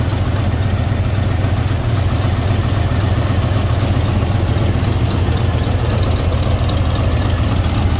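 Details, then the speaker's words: GMC pickup with old-school TBI 350 (or 305) V8, reportedly overheated until it locked up: heavy, low idle with an uneven loping pulse that never smooths, missing like crazy; misfire from a blown head gasket, no cap pressure, smoke, engine to be replaced. "okay those run don't sound bad foreign vibrating 's missing like crazy"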